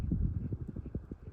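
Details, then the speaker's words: 1996 Murray Feiss Tallman hugger ceiling fan on medium speed after five years in storage; soft uneven low tapping several times a second from cane inserts falling out and shaking in the blade holders; slight bearing noise also noted. "is shaking around in the holder and the blade. Gotta glue the cane back in, it is falling out, but."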